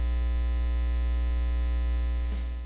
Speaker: so what exactly is ground Loop noise well it usually occurs when you have multiple devices linked together through signal cables and plugged into different power outlets which induces multiple grounding points